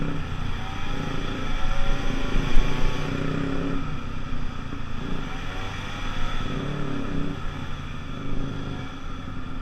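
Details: Gilera scooter road test after a fuel-problem fix, with panels off: small two-stroke buzzing steadily, pitch rising and easing with throttle, no stumbles or cut-outs. It runs cleanly under load and reached 37 while still pulling, with a 14-stone rider.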